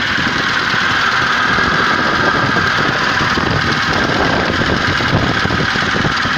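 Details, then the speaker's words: Zhiguli just thawed after water froze in the engine at -1°C, block warming so the water can be drained: steady idle with an even mid-range hum and light rattle, no clear knock or miss; running normally. "но завелась нормально сейчас блок прогреются вся вода с него уйдет"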